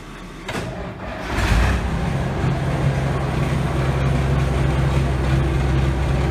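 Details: Truck engine started before its muffler is fitted: cranks and catches, then settles into a steady, even low rumble with a deep exhaust note. Normal idle.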